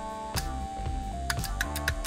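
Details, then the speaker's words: BMW VANOS camshaft actuator solenoid, removed and cleaned with brake cleaner on a car with cold-start problems, energized on the bench: sharp, crisp clicks about three per second, no buzzing or sticking; solenoid switching normally. "bienentendez là onend bien claquer là là il fonctionne bien"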